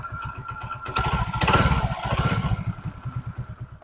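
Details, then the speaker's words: Honda Pridor 100cc motorcycle after repair of bad engine noise by opening the magnet, sanding the face and refitting it with a ₹20 fix: steady thumping idle, brief throttle pickup, even beat with no clatter; healthy. "दोस्तों हमने ₹20 की अल्फी से इसको बिल्कुल ठीक कर दिया और आप देख सकते हैं कितना प्यारा साउंड हो गया"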